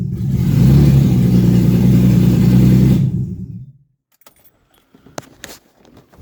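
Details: BMW E36 2.8L engine with ZF 5-speed gearbox, first start after refitting: catches and runs lumpy with uneven low throb for about three seconds, then dies. Rough running.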